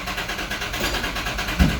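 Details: 2004 Nissan Pathfinder right after key programming succeeded, security light blinking: even rhythmic cranking for about two seconds with no firing; cranks but won't start. A strong fuel smell follows.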